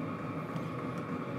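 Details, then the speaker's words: New portable diesel tent heater running in shop at 68°F, 47% humidity: steady even combustion fan roar, no surging; running normally. "see it's not too loud I can still hear the clicking but it's gotten a lot quieter this thing's going to be sick oh wow that is really hot air pumping out of there"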